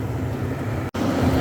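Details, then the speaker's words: Sunbelt Rentals auction heater just powered off after a hot test run: the fan keeps a steady even whoosh over a low hum with the burner off. Its label says not to disconnect until the cooldown cycle completes, so this is a normal cooldown fan run. "do not disconnect until cooldown cycle has completed so we turn it off and we just leave it running I guess until that fan shuts off"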